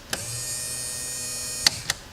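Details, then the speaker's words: Restored ski boat, newly rigged: auto light comes on but the bilge is dry, so the bilge pump is switched to manual. A click, then a steady, even high hum. Normal bilge pump operation. "The light comes on, but there's no water in the bilge. We go to manual, and I can hear it start."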